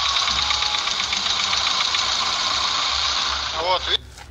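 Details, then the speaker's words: Car engine that is fine cold but, once warm, starts tapping from the hydraulic lifters when revved; the tapping fades once idle settles, and a diesel-fuel flush is planned as the fix. Light, quick tapping at three to four ticks a second over the revving engine. Hydraulic lifter tapping. "когда оказываюсь на пакетом двигателя на холодном нормально на прогретом двигателе когда газуешь начинается стук гидриков"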